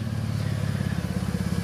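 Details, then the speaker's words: At idle: a deep, loud, throaty rumble pulsing steadily, far louder than stock. The exhaust is loud from a missing or failed muffler and needs a new one. "yeah naturally my message it needs a muffler"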